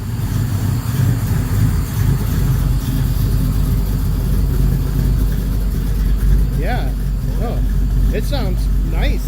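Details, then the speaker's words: Freshly built engine just started, running with no driveshaft and no brakes. A deep, steady, rumbly idle with no knocks or misses; the engine sounds healthy and even. "and rumbly"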